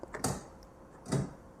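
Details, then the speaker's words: Citroën C6 bi-xenon headlamp after replacing the xenon bulbs, engine off: switching main beam on gives two soft distinct clicks about a second apart as the little shutter trap door opens and shuts, normal operation. "If I put main beam on, You can hear the little trap door opening and shutting."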